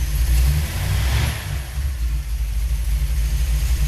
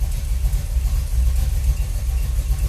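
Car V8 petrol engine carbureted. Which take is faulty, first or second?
second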